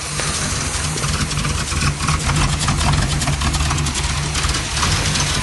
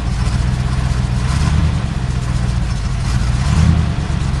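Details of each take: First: 1978 Cutlass 403 V8 with borrowed spark plug wires, cold and not yet warmed up: deep V8 burble at cold idle with a slightly uneven beat, seemingly running on all eight. No knock or tick, sounds a lot better. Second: 1978 Oldsmobile Cutlass 403 V8, started after sitting about six weeks, carburetor primed: loud lumpy idle with stumbling beat, still missing but no knock; distributor clicking, earlier knock suspected from distributor, not confirmed.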